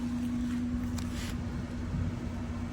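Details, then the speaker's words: 2008 Ford Escape V6 burning oil, after replacing the PCV valve: steady, even low hum at good idle RPM with no ticks, misses or hiss; normal idle. "yeah sounds a lot better what you idling at listen to that now"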